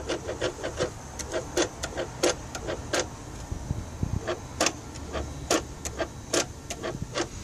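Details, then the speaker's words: Mercedes S500 electronic throttle (E-gas) actuator, ignition on and engine off: light ticks and motor hum as the throttle gears are driven; no dash lights, acceleration okay, actuator and control module working normally. "That is actual motor that turns the throttle gears. So it does seem to work fine."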